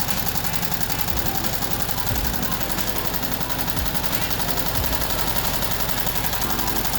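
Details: VW Type 1 air-cooled 36hp flat-four, reassembled after suspected bad bearing or rod knock turned out to be the pushrod guides: steady fast clatter, roughly even firing, no heavy knock; running normally again.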